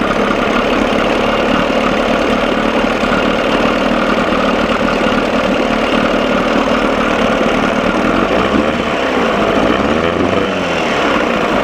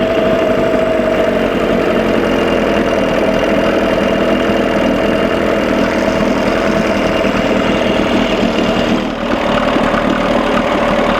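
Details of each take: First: 1987 Johnson 6 hp two-stroke outboard running in water, mixture screw about 1¼ turns out, engine running too cold: a steady buzzy run that turns slightly uneven and stumbling, missing a little, then sounds better after adjustment. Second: 1987 Johnson 6 hp two-stroke outboard after carburetor linkage repair, mixture about one and a quarter turns out: steady, even buzz with constant beat, no misses or knocks; smooth idle, though it runs too cold.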